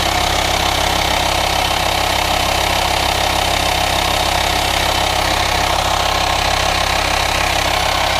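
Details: VW Transporter T5 LWB T32 2.5 diesel 6-speed camper van idling: a steady airy hiss over an even diesel idle, suspected vacuum/air leak in the engine bay; no auxiliary belt-driven pulleys; cause unconfirmed.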